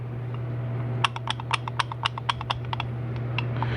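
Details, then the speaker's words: GM 4L60E transmission teardown: sharp irregular clicks, three or four a second, as the reaction shaft is rocked by hand, showing play from worn splines; reaction shaft is worn out and must be replaced despite polishing up well. "that reaction chest wore out so it'll have to be replaced"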